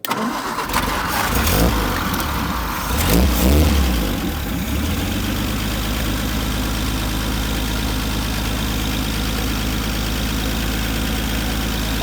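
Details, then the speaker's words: 1950 Nash Statesman, not run in 23 years, started on a 12-volt battery via jumper cable (seized floor starter switch, 6 volts cranked too slowly): a few rough turns, then smooth even steady idle; runs nicely. "Well, guys, it runs. And I would say it runs pretty good with 12 volts."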